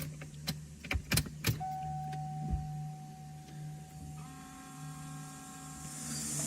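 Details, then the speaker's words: 1994 Chevrolet Corvette, new fuel pump just installed, key on, engine off: steady, faint electric hum rises in pitch and holds; new fuel pump priming normally. "i'm gonna turn the car on make sure i can hear the pump running and i'm gonna go out and just make sure there's no leaks or anything before i try to start the car"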